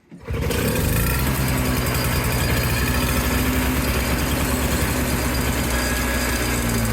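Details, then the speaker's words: Old Toro CCR200E two-stroke snowblower after new fuel lines and carb from a kit, choke pulled: fires and runs buzzy and uneven, hunting; owner suspects the carb bowl is not yet filled with fuel. "okay might just need to get a little more fuel into that"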